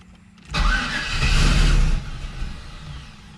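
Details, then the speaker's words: Turbo LS V8 Camaro, first start with rigged oil feed and return, intake on, no cold side yet: engine fires, runs about a second and a half, then dies; starts but won't keep running, cause unconfirmed. "all right let's try this again i don't think it's gonna stay running until i put so"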